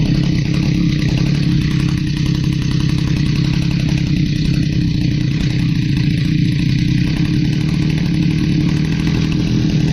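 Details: Stihl HS45 hedge trimmer, long unused, two-stroke started after priming with fresh fuel and a new air filter following a customer tune-up: loud steady buzz with coarse, slightly uneven firing; runs rough, needs more carburetor work.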